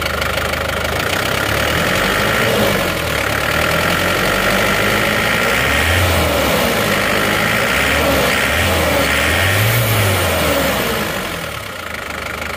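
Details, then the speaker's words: Isuzu Panther diesel idling and revving after a new Elf injector was fitted: quick steady tick near four per second over the engine; cause unclear, suspected loose rocker/valve clearance or noise from the new Elf injector. "Jadi kemungkinan ini ada dua kemungkinan Ya kemungkinan pertama itu mungkin sekernya agak goyang padahal kemarin setelah diperiksa waktunya enggak apa-apa Tapi kok ada suara Kretek"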